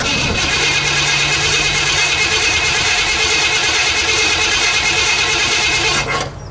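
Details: Pontiac Bonneville 455 V8 with exhaust removed, first start in perhaps a month and a half or more: loud raw raspy roar with hissy crackle, no muffling, steady until cut off; engine running with open exhaust.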